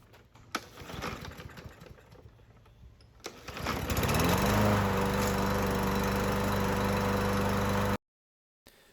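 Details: Husqvarna mower with a Briggs and Stratton 550EX engine that previously wouldn't start, run after cleaning the carburetor, refitting the air filter and adding gas: catches after a few pulls and settles into a steady, even drone with no misses or knocking. Normal running.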